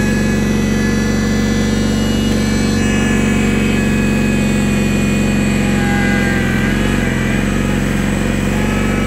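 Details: 1983 IH Cub Cadet 782 garden tractor running after start-up: loud steady drone with an even low hum, holding speed smoothly without misses or knocks; healthy engine.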